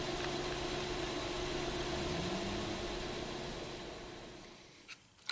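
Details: 2012 Honda Pilot 3.5L V6 EX Touring 2WD with flashing check engine light and P0303 cylinder 3 misfire, traced to the spark plug (variable cylinder management noted); steady idle hum with a faint repeating stumble.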